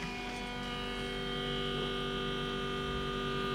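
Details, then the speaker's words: 2000 Land Rover Discovery after a new in-tank fuel pump and fuel filter, ignition on, in neutral, accelerator pressed five times: steady, even electric hum with no rattle. Normal fuel pump priming cycle purging air. "that'll cycle your pump to get all the air out so it'll keep climbing the pump to cycle it it'll get all the air out so that's how it works"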